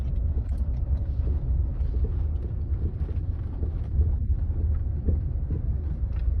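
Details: Land Rover Freelander 2 driving: steady low road rumble with occasional dull thuds over bumps and asphalt joints; silent blocks, bearings, stabilizer link checked fine; rear shock absorber knock.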